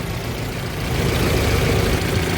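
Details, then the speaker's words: Mahindra Bolero Pickup diesel after fixing a starting problem, code P025100 (fuel metering unit open load) from a loose wiring connector; connector repaired, code cleared, engine starts and idles with smooth even clatter, normal. "देख सकते हैं हमारी गाड़ी हो गई start और इनका जो कोड आया था वो कोड भी क्लियर हो चुका है।"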